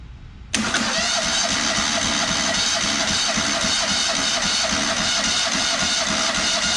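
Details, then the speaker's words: Freshly rebuilt Kohler CH20 Command 20hp in a Walker GHS mower, compression test on cylinder two with a nearly dead battery: steady, slightly slow cranking about four strokes a second; reading almost identical to cylinder one, healthy. "more consistent almost identical so that's a good sign happy with that"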